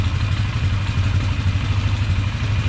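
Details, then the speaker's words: 1999 Polaris Sportsman 500 ATV after fuel pump replacement: steady, even low single-cylinder thump at idle, no misses, pops or surging; earlier popping blamed on bad fuel pump, no head gasket signs found; normal idle. "sitting here idle and nice"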